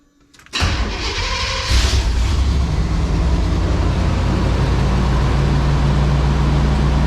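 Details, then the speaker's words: Abandoned 1992 GMC K2500 454 big-block V8, after fuel pump, fuel tank and tune-up: catches at once, blips, then settles to a steady, even, quiet rumble with no stumble or knock; owner suspects a vacuum leak or two. Normal start. "just runs. Now it's awfully quiet for a 454. Still got the stock mat and all that, but it's like it was parked yesterday."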